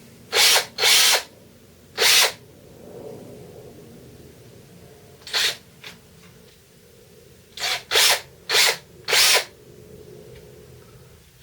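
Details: DeWalt 18V XRP cordless drill after repair for smoke and burning smell: commutator cleaned with fine file, gearbox back on. Short bursts of high-pitched even whirr, clean starts and stops, no grinding or rattle; healthy.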